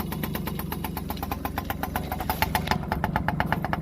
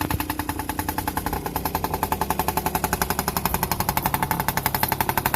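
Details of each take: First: Yamaha PW50 two-stroke, sat 5 years, aftermarket carb and cables: uneven, burbling idle with a lumpy popping beat; running rich as a too-short choke cable kept the choke always on and the throttle cable held the oil pump half on. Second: Yamaha PW50 two-stroke, sat 5 years, back on cleaned OEM carburetor and throttle cable, new spark plug, tank cleaned: starts easily, crisp even idle with steady rapid popping beat, no hunting, no longer smoky.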